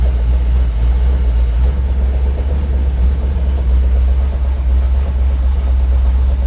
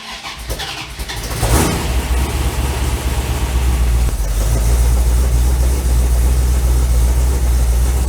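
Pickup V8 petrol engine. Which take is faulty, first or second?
first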